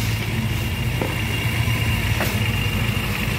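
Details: Yamaha Grand Filano fuel-injected scooter after throttle body cleaning and ISC/error reset: smooth, even idle with steady low putter, no hunting or surging; clean idle.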